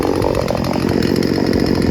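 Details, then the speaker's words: Craftsman 16-inch 38cc two-stroke chainsaw giving a high, steady buzz holding pitch without bogging or stalling; brought in as faulty but nothing wrong found, fuel-air mixture low and high judged perfect. "There ain't nothing wrong with this chainsaw. It runs really well. I had it at full throttle, didn't bog at all. It means it's a perfect fuel-air mixture, low and high."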